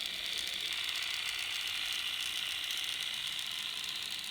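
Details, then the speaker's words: Untested N scale MRC RSD15 locomotive, shell on: fast, even, high-pitched gear whirr with steady chatter, no knocks or binding; a little noisier with shell on but manageable, normal gear noise. "I wanted you guys to hear it it makes a little bit more noise there with the shell on but it's still uh manageable I don't hate this the effect is pretty cool"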